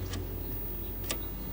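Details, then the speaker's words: 1964 Wards Airline CTC 15 color TV with no sound and no picture: a quiet, steady low hum with faint clicks as the vertical oscillator runs, then it is switched off; only a very faint raster appears. "turning the um vertical oscillator off ooh okay what's going on with that"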